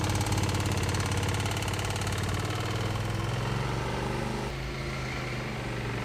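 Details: Original knocking engine of a 2005 Suzuki V-Strom 650, restarted with the oil unchecked: low thumping idle with a heavy, uneven pulse of about three to four beats a second. Rough running, cause not confirmed.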